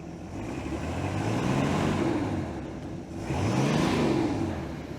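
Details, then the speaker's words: 1973 Cobalt boat with a 165 hp Mercruiser, at fire-up: two smooth revs rising and falling over a steady rumble, no knocks, misses or rattles; the engine runs healthy. "so that sounds pretty good let's go to the lake just hang on"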